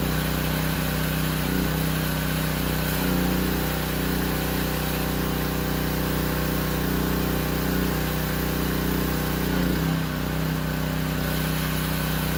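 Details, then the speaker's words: Discontinued Power Stroke 2200 PSI pressure washer after a carburetor clean, water hooked up and spraying under pressure: a steady, even small-engine drone that surged slightly until warm, then held speed with no stumbling. "that wasn't too bad I mean it surged a little bit but once it warmed up hey that was pretty good put out some good pressure didn't stumble at all"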